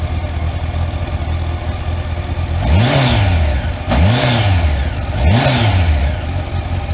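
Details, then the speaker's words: Used motorcycle, three quick throttle blips from idle: loose, tinny rattle chattering under the revs as the cam chain reaches maximum slack beyond the tensioner's reach; worn cam chain needing costly replacement. "Şimdi zamanla egzantrik zinciri Maximum bolluğa ulaşınca artık bu zincir gergisi buzin ne demeye başka bir egzantrik zinciri na böyle bir bolluk sesi geliyor"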